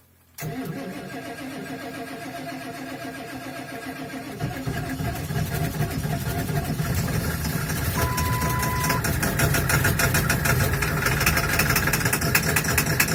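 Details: Ford 7.3 Powerstroke diesel, hard cold start at -35°C on third attempt, block heater plugged in overnight, glow plugs cycled over 2 minutes; catches after short crank, stumbles about four seconds, then clatter steadies. Owner blames bad injectors, not yet replaced.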